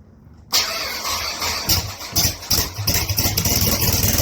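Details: 1st-gen Dodge Neon SRT-4 coupe during an engine-out project, cranking later in the job: uneven cranking with irregular chuffs about three a second that grows into a rough stumbling run; the cranking sounds a lot different.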